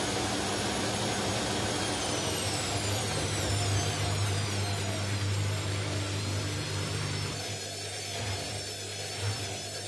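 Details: Indesit mini washing machine on an unbalanced spin: loud spin roar with a falling whine, then rhythmic thumping about four times a second from worn drum bearings.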